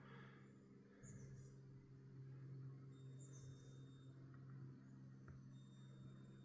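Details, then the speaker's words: Van Victron system with GX IO-Extender 150 and generic PWM modules dimming LED lights: faint constant low electrical hum with occasional high chirps; one dimmer module humming. "We can get our lights on and off. Man, you hear that one hum."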